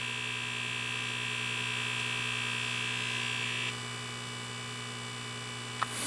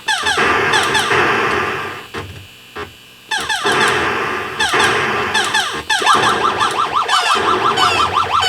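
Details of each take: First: 1979 Atari Asteroids arcade PCB, audio amplifier powered on a second board: steady buzzy hum with high whine and fine chatter through the speakers, vector drawing chatter amplified into audio; a bad analog part in the sound circuit, later replaced. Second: Atari Asteroids arcade PCB (1979) after repair of the saucer fire sound circuit off a 555 timer: clean chirping fire bursts, boings and explosions on all channels. A bad analog part, likely the .01 cap or a transistor, was shotgun-replaced. Sound board now working normally.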